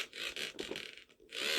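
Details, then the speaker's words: Gemmy Frankie the Fish singing toy: harsh, scratchy buzzing in uneven bursts as the motor runs against a fully split head gear, so the head doesn't move; split head gear and jaw piece were later replaced. "the gear is actually fully split in this head so it doesn't move at all I don't know if the camera picks up that motor buzzing but yeah it doesn't work in"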